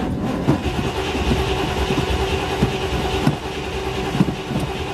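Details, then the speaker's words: 1973 Camaro Z28 V8, started monthly after sitting, in neutral with clutch in, choke removed. Slow, uneven cranking with scattered thumps for seconds before catching, then runs rough. Long cranking hard start. "come on okay it's been sitting yeah there she goes it's running a little rough not quite firing all cylinders yet"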